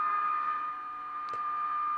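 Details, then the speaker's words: 1946 GE Model 100 AA5 tube radio during recapping, tuned near 1260: steady, piercing one-pitch howl over faint hiss, changing tone as something heats up. Another bad capacitor is suspected. Oscillation, cause not yet found. "nope it's got another bad cap somewhere that's causing that thought maybe that was it but listen to that thing howl"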